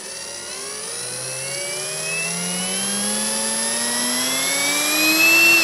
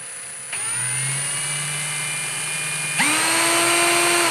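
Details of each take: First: Parkside cordless drill, compared with Litheli U20, trigger squeezed slowly: motor whine climbs steadily and evenly like a turbine spooling up, no steps or stutter; smooth variable-speed control. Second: Litheli U20 brushless cordless drill, trigger squeezed slowly: motor whine holds one pitch, then abruptly jumps higher, then again; trigger speed control is stepped, not truly variable.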